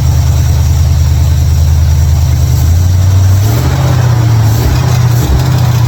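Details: 1955 Chevrolet Bel Air after fixing ignition, electrical and fuel issues with a bypass switch and carburetor tuning: low steady rumble, briefly rising with a throttle blip and settling back, even idle; normal idle.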